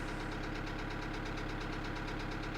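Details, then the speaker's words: 2008 Kia Sedona 2.9 CRDi diesel (J3), check engine light on: steady idle with a sharp, regular knock on every firing stroke over the clatter; a bad knock, cause unconfirmed. "i'll actually let you hear the engine that's a bad knock"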